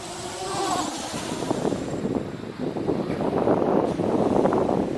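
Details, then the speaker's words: MJX Bugs 3 quadcopter on a 3S (3-cell) battery: buzzy motor drone with rising and falling pulses about four a second when power is held on, the motors hunting and oscillating. "it's certainly oscillate if you keep the power on a bit it just seems to stop but it's you can hear that"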